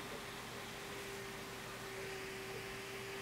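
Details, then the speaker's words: Replacement cooling fan for ProsKit SS-331 desoldering station tested: even airy hum, steady tone, no wobble or rattle; similar noise to the other fan tried but far less vibration. "noise that was about the same but the vibration is a fraction of what the other one is much less vibration"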